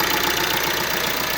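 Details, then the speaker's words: Vauxhall Astra K 2016 1.6 CDTI diesel: steady metallic timing chain rattle at idle that persists when revved, a common fault on this engine; described as abnormal despite claims it is normal; chain and parts to be replaced. "It's normal because sounds normal because they build it like this, and you can hear the noise all the time, and after a time you can say it's normal."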